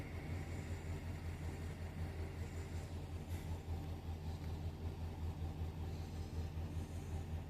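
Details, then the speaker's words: 2008 GM Sierra/Silverado after knock sensor (P0332) and evap vent valve (P0449) repair, first run with no engine light: smooth even low V8 rumble at steady idle, no ticks, misses or surging; normal idle. "Oh, look at that. It's the first time I've had this truck running with no engine light."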